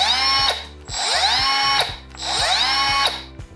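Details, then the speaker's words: Milwaukee M12 Fuel subcompact angle grinder (M12 FCOT) running: high whirring whine that climbs on spin-up and sinks on coast-down, twice; an odd vacuum-cleaner-like tone, but the tool works fine, normal running sound. "naprawdę troszkę dziwny dźwięk ale narzędzie robi robotę poważnych minusów brak standardowo ergonomia lamp na gabaryty wszystko jest na plus"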